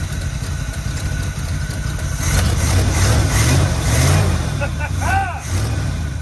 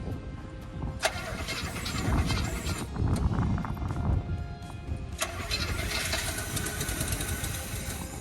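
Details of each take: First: Factory 402 big-block 1972 Chevy C20 3/4-ton automatic, first start with the fuel line disconnected, running only on fuel poured into the carburettor: low, even V8 burble at steady idle with a brief throttle rise, a little exhaust smoke, normal idle. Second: 1972 Chevy C20 3/4-ton, factory 402 big block, automatic, first start with fuel poured down the carburettor: catches with a loud burst, runs rough a few seconds, then dies to cranking; no fuel coming from the mechanical pump.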